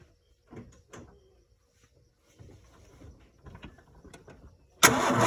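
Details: Ford 4.9 I6 300 cranking: slow, uneven starter pulses with no firing; cranks but no start, cause unknown.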